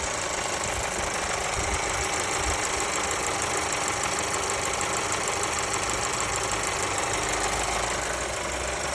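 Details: Mercedes A-Class W177 with M282 petrol engine at idle: fast, light ticking riding over a steady, fairly bright hum; cause unknown.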